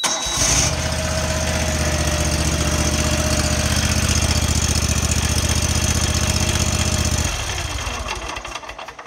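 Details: Dixie Chopper mower with Generac engine after intake valve repair: even starter cranking about four beats a second for roughly seven seconds, oil pressure buzzer, engine never catches; crank no-start, cause suspected not confirmed.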